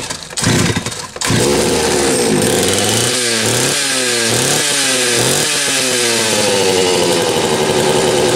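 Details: Homelite 330 chainsaw after new intake boot and repaired ignition-switch ground lead (factory crimp had broken the wire): starts, then revs crisply up and down in repeated blips with clean rises and falls in pitch; runs healthy.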